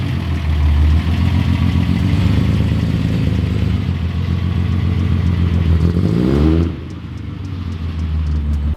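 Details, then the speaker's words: Datsun 280Z on test drive at night: engine pulls hard then revs drop to an uneven, lumpy idle; still seems to run rich with irregular AFRs and backfiring, owner suspects a leak; possibly idling somewhat better but not fixed. "It sounds okay. It does sound like it's running a little rich still, which could be related to the AFR problem. It is still backfiring."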